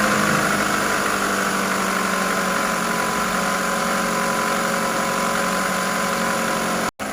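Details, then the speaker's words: 2010 Toyota Camry 2AZ-FE 2.4L after camshaft and VVT-i gear replacement for a P0335 code: steady, even idle hum with no knocks, ticks or hunting; check light off, engine sounds healthy. "हां हां तो दोस्तों गाड़ी की starting बिल्कुल okay है और गाड़ी में कोई मसला नहीं है"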